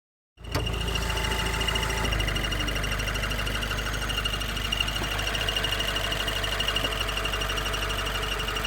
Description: Makes this noise when engine is warm. When clutch is pushed in the noise stops and as I accelerate the noise gets louder and faster.